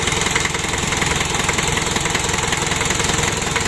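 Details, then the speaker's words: Freshly rebuilt 1987 Daihatsu Taft GT Jeep diesel engine, first start, warming up while checked for oil leaks: steady, even diesel clatter at idle with a regular beat and no knocks or misses; normal healthy idle. "untuk Awali kini untuk awal hidupnya seperti ini sambil kita panas sih dan kita pantau kita Cek kebocoran Dek remesan oli"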